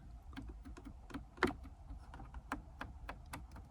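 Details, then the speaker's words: Mercedes CLK320 (C209) HVAC control dials being turned inside the car before removal and repair; crisp, evenly spaced clicks, about three or four a second, with positive safe-like detent engagement; the detents work normally. "So I don't know if you hear those clicks, but there's definitely like a positive engagement when you turn these dials, right? Almost like a safe."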